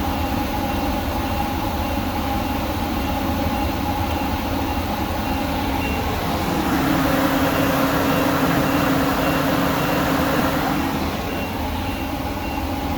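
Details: Workhorse W22/W24 chassis 8.1 Vortec with radiator blocked off, engine at 225°F: steady engine with deep, even rush of air swelling for a few seconds as the fan clutch finally locks up (expected near 205); normal engaged fan clutch roar.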